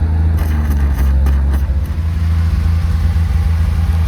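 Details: Lincoln SAE 300 welder with a Chevy inline-6 engine, after ignition circuit repair, while welding: a steady, even low drone holding speed under load without misses or surges. Normal running under load.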